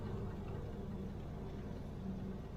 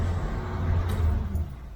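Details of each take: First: 1971 Corvette C3 with a 350 small block, engine idling; a wavering whine comes while the steering wheel is turned and stops when pressure is taken off, worst turning right. Whine when steering, traced to the power steering pump, which is to be replaced. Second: 1971 Corvette C3 with a 350 small block, after the power steering pump was replaced and refilled; a steady low engine rumble with no whine while the wheel is turned full right and full left. Normal power steering, no whine.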